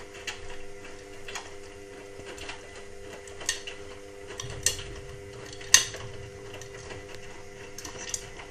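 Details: Indesit WIXL143 washing machine: sharp irregular clicks about once a second over a faint hum, drum not turning. It clicks for 2-5 seconds, then nothing, and the cycle never gets going or finishes. Stain removal, Easy iron and door lock lights flash. Fault unknown.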